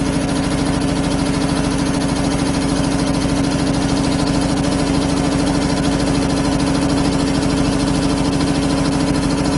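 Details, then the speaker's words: 25 hp air compressor on single phase, idling unloaded: steady, even chuffing about 200 beats a minute over a constant motor drone; normal unloaded idle. "they now it's idling you noticed it idols once it warms up is usually around twenty seven twenty eight amps and vitalina 31"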